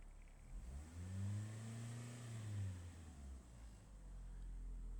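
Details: Car that fails to start when ground is wet, running on a dry day; owner was told coil, solenoid, starter; engine revs up smoothly and settles, even tone following throttle, no misses or knocks.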